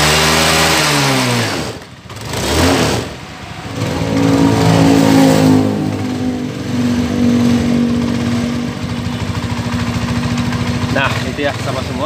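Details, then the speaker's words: Honda Scoopy scooter after repairing vibration and noise at the CVT pulley and final drive, with new clutch linings fitted. It fires up, revs, then settles into a smooth, even idle with no judder or rattle. Normal running after repair. "Bagus sekali ya untuk di suaranya di sini, dan tidak ada lagi getaran di bagian di sini ya."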